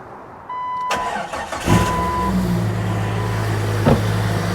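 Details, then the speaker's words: New 4.6 stroker engine swapped into 1999 Jeep XJ, first start after redropping distributor at top dead center (was too advanced, wouldn't idle); cranks briefly, catches cleanly, settles into steady even low idle, no misfire, purring, cold before warm-up; normal start and idle. "piece of cake piece of cake all right it's purring like a kitten a very tame Beast so nice and straight no issues"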